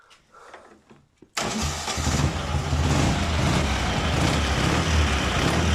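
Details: Engine after reassembly with aluminium head gasket and valves adjusted; earlier ringing knock in left cylinder, cold and on throttle, traced to gas blow-by between cylinder and head; catches and runs evenly, no knock; repaired.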